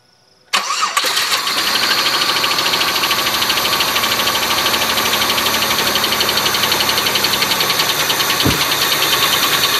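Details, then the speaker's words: Oldsmobile Silhouette van, jump-started with a weak battery: cranks, catches and settles into an uneven idle with a quick ticking rattle; runs poorly; loose rocker arm bolt causing tick and misfire. "Well, that's how it runs. Not the best. Suppose if I unplug the knock sensor, it'd probably run a little better, but of course you take the cable off, it dies."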